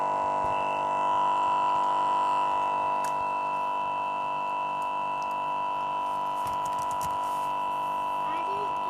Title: Lenovo Yoga 2 11.6 laptop keeps freezing and making loud buzzing noise